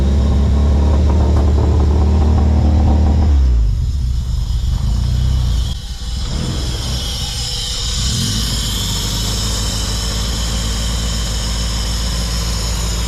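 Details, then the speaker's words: Honda Civic after a Hondata coil-on-plug retrofit, warming up just after starting: loud, throaty revs, then it drops back to an even, steady idle with no misfire or stumble; sounds healthy. "and there it is man the car sounds great I love how it sounds"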